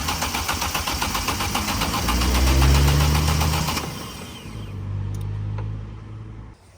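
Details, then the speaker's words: Vauxhall Corsa VXR with a freshly swapped replacement engine (head gasket had gone on the old one): fast, even cranking at about four beats a second that never catches; cranks but won't start, and the whole wiring loom was replaced the next day. "Alright, this is the next day, and we had to change the whole wiring loom because it wouldn't start."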